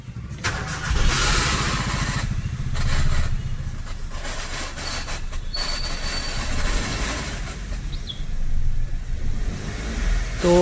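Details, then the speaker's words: 2015 Maruti WagonR K-Series manual, at idle after start: coarse, fast rattle from underneath over low idle; also 5th engages but car won't move and reverse won't engage. Suspected worn gearbox internals, gearbox rattle. "गाड़ी start हो गई है और देख रहे होंगे कि खड़खड़ाहट की आवाज़ आ रही है।"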